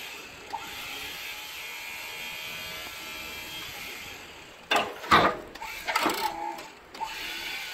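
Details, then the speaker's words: Snow plow hydraulic pump after a fluid change and filter cleaning, cylinders still empty: a steady whine breaks into rough groaning and chattering bursts under load; low on fluid, probably about half a quart more needed. "so all right so as you can hear it's uh grown and chattering that means it's low on fluid"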